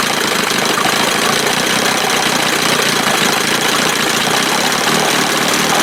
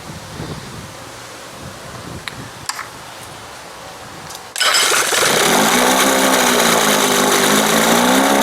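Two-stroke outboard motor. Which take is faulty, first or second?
second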